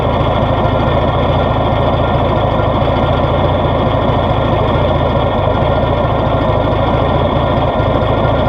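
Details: Cold start of a 1970s (serial dates 1970–78) Rinker boat's MerCruiser 165hp sterndrive engine: steady, even idle with a firm low drone and no knocks or misses; healthy-sounding, running smoothly.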